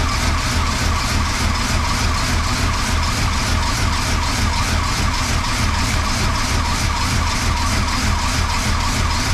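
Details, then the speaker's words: 1977 Chrysler Newport 400 V8, cold start below freezing after sitting about two months on a weak battery: uneven, lumpy idle that stumbles. Owner suspects the spark control computer and that it needs plugs and wires. "uh-huh there we go and it's running a little rough let it idle for a little bit"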